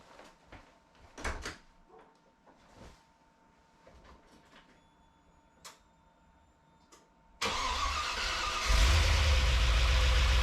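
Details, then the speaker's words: Classic Range Rover boosted V8 with EFI and LPG emulator, first start after build: V8 fires and holds a heavy, strained, labored idle; builder suspects ignition timing and adjusts distributor by hand, power steering pump drawing air. "So, the engine sounding very labored straight away. Generally ignition timing."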